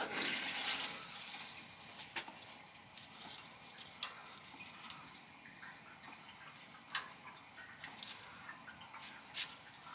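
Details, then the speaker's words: Old gas boiler with a leaking relief valve, feed valve found blocked and cleared, now filling system and expansion tank: quiet steady hiss of trickling water with small clicks; feed valve filling normally. "yeah it's definitely feeding because i could i could hear it"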